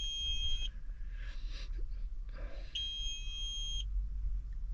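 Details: Hot tractor cab with unidentified relays; the mechanic turns to the manual next. High-pitched beeping in bursts of about a second sounds again after a pause. The cab warning alarm's cause is unclear.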